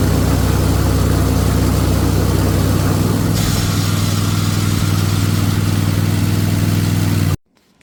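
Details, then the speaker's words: Riding mower with manual blade engagement, worn deck brake pad: on blade disengage the brake shoe bracket scrapes the spindle pulley (sheave), giving a harsh, rough metal-on-metal scrape over the steadily running engine. "You can see how it was coming over there, letting that pulley make contact with the spindle, and also the bracket holding the shoe, the brake shoe, is making contact, making noise."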